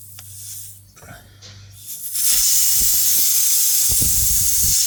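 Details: Car tire, jacked up on a stand, screw removed from puncture: loud steady hiss starting abruptly and holding constant, with handling clunks; air escaping through tire puncture.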